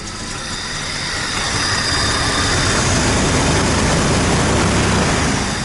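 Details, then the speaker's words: 1999 Jeep Grand Cherokee 4.0 L six, a no-start, running after a month sitting once the shorted crank sensor was replaced: steady, even idle with a regular pulse and no knocks or misses; runs normally. "Alright, boys. Got her. Crank sensor shorted the computer out. Made it look like a bad computer."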